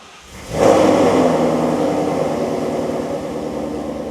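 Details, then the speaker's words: Built V8 Mustang, push-button start: engine catches straight away, flares, then settles into a deep steady even burble; healthy start and idle. "Now, that sounds like America. Smoother than a frog's hair."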